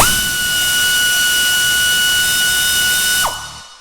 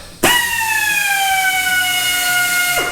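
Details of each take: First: Husky 3/8 air ratchet (compared against a Central Pneumatic 90-degree air drill), about a foot from the meter reading 88 dB: spools to a clean steady high whine about three seconds, winds down smoothly; normal running. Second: Central Pneumatic 90-degree air drill on a 30-gallon compressor set to 105 psi: high whine starts strong, then sags in pitch over about three seconds as speed drops, likely from falling air supply.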